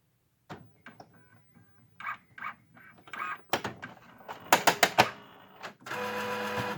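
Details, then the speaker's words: Epson WorkForce WF-3640 inkjet printer powering on after partial paper jam clearing: sharp, uneven hard clicks and clacks, indicating leftover jammed paper. "that hard clicking? It still has a problem there."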